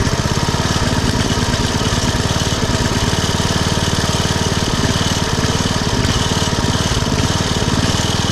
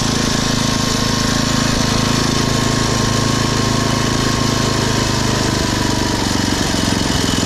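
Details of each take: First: Poulan/Weed Eater VIP garden tiller with 5 HP Briggs & Stratton single-cylinder, 15+ years old and unused over a year, warming up before tune-up: steady rapid thump with speed drifting up and down in gentle surges; idle surging, later cured by the tune-up including a minor carburetor mixture-screw adjustment. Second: Poulan/Weed Eater VIP garden tiller, 5 HP Briggs & Stratton single-cylinder, 15+ years old, after tune-up (new plug, air filter, oil, mixture-screw adjustment), throttled down to idle: even quick putter at low steady speed, no surging; normal idle.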